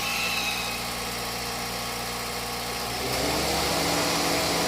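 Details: Honda City after AC repair (compressor clutch replaced, compressor oil changed, new drier and belt): steady idle, then about three seconds in the note deepens as the compressor engages; normal AC compressor cycling.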